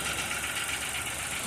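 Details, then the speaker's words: Chevrolet Montana 2023/24 1.2 turbo three-cylinder LTZ Premier at about 21,000 km, heard loudly inside the cabin: hissy, busy idle with a faint light knock. Dealer calls it normal for three-cylinders; owner says it didn't do this when new. Cause unconfirmed. "o chefe da oficina falou que é normal do veículo, a categoria normal. que todos esses motor três cilindros bate, mas ela não fazia esse barulho quando ela era nova."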